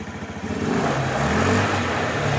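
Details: 2004 Honda Metropolitan scooter after tank cleaning and carburetor rework, air box cover and air filter missing, warm after 20 minutes idling: small single buzzes up smoothly as throttle opens, pitch holding steady without stumbling. Normal revving.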